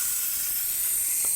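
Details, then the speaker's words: Air compressor tank with rusty, hard-to-turn drain valve opened by hand: sharp steady hiss of air and water spraying out under pressure, water running toward the person; normal tank drain blowdown. "And there the water comes out. Now, the water goes all over you, so it starts running towards you, as you can tell."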